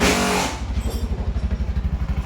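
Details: 2025 Bajaj BS7 auto-rickshaw, 6,000 km, which had starting trouble after water got in during servicing: after the fix, the throttle eases off into a smooth, even beat of about nine pulses a second with no misfire. It runs healthy.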